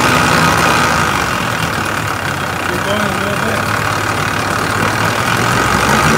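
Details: Engine at steady idle: light, fairly even clicking at around three to four ticks per second riding over the engine; source of the click unknown.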